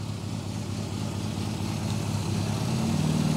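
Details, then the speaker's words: Classic Mini A-series engine with carburettors during tune-up: low, lumpy uneven idle; lifting piston pins speeds it up and smooths it, showing mixture too rich. "you hear it speeds up and smooths out. So right away I know it's too rich."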